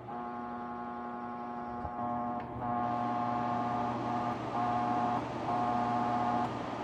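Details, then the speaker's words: Wahoo Kickr Headwind fan: steady whoosh with a constant buzzing hum and a higher drone. Vibration noise from the fan housing, felt by hand, noticeable around 50–75%; at 100% the fan noise masks it. "and you can feel 75 you can feel there's some vibration here hopefully you can also hear it i definitely can"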